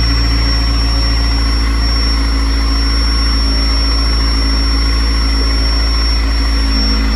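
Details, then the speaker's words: C5 first start-up after the intake, throttle body and manifold were removed and refitted, coolant added, on a jump: a loud steady idle with a constant thin high whistle. A vacuum leak at the manifold is suspected, not confirmed. "All right, we're gonna take the manifold off and then put it back on and see if that's what's causing this whistle."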